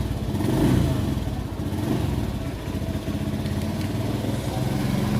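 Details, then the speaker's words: Honda Beat FI scooter engine running unevenly, beat stumbling and cutting out at mid throttle but recovering at full throttle; misfire to be checked with diagnostic tools. "ma marinig yung ano palya nawawala Nawawala yung pag nas gitang throttle ka nawawala makita natin dito sa guli na to yan o nakagitna pumapalya pero pag na isagad mo umaangat ulit"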